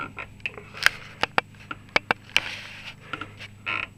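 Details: Lada Niva rear suspension rocked: short rubbery croaking squeaks in uneven bursts, which grew more intense over time; worn trailing (reaction) arm bushings, fixed by replacing the rods.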